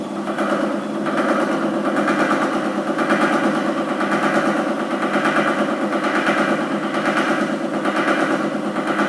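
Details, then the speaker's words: Year-old gym treadmill running unloaded at walking speed setting 6: steady motor hum with an intermittent rhythmic knock about once a second, which worsens at running speed 10. "as you can see it's sort of um intermittent I'll stop that it's it's kind of intermittent but um probably not acceptable"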